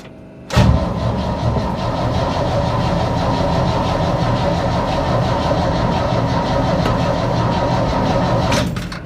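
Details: 1965 Chevy C10 that sat in a field, started with jump box and starting fluid: catches, runs roughly about eight seconds, then stalls; suspected fuel starvation once starting fluid burned off, later given gas.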